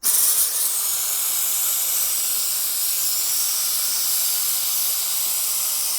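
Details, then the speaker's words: Ducati 748 (1990s superbike) with clutch lever coming back to the bar, slave cylinder suspected failed: vacuum bleeder on the opened clutch bleed nipple gives a steady high airy hiss, sucking the line empty of fluid normally. "There wasn't that much in it, but you can actually hear it. Stop there. That's sucking through."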